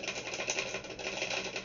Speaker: and there is something rattling in inside of it if you can hear it hear that